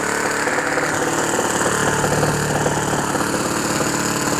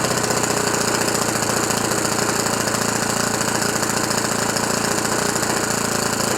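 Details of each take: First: OS FS 91 Surpass 15 cc four-stroke methanol model engine, rebuilt after crash with new ring, first start for break-in, 14x7 propeller: rough, blubbery beat with uneven firing; deliberately very rich mixture to bed in the piston ring. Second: Rebuilt OS FS 91 Surpass 15 cc four-stroke methanol engine on break-in with a very rich mixture and strong vibration. Fast, even buzzing run at steady revs with no misses or knocks. Normal running.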